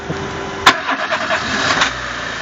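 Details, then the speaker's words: 2000 Renault Laguna 1.6 petrol with motorized throttle body, just reassembled after intake backfiring and hard starting: short starter crank, then the engine catches and holds a fast, raised idle; throttle position relearn needed. "Alors là, il faut faire un apprentissage de notre position papillon parce que notre régime moteur là est trop élevé."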